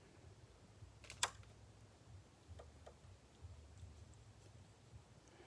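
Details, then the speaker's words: Samsung PN51D450A2D plasma TV, dead after a loud pop: pressing power gives one loud click then two softer clicks as the relay tries but the set won't start, followed by a slow-blinking green light on the logic board. "I heard a loud click then two softer clicks and then it goes to this slow blink for several minutes"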